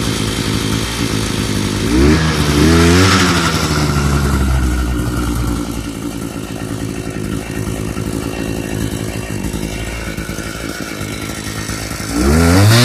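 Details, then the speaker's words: Thunder Bay Y43 two-stroke post hole digger, complaint won't start, fired after a little throttle: crisp buzz that snaps up cleanly on throttle, settles to a steady idle, then revs again; running strong and normal. "Sounds like a powerful machine."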